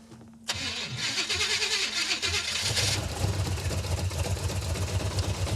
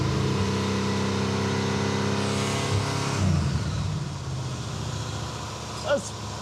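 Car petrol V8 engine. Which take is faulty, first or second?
first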